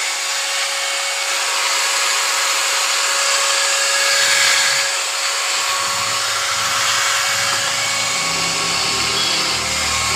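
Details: 801 angle grinder after bearing change, broken bearing replaced; steady high-pitched motor whine holding an even pitch, no grinding or rattle, runs smoothly and sounds healthy.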